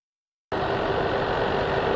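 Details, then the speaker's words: EVGA RTX 3090 FTW3 Ultra hybrid-kit AIO pump, failing about 1.5 months after install, recorded close up: a persistent buzzing, clicking, grinding hum that never varies. The pump is failing, and a replacement was arranged with EVGA. "so here you can hear the pump i don't know how well you've picked it up with my microphone but i'll get pretty close to it it's a pretty persistent buzzing clicking grinding sound going on"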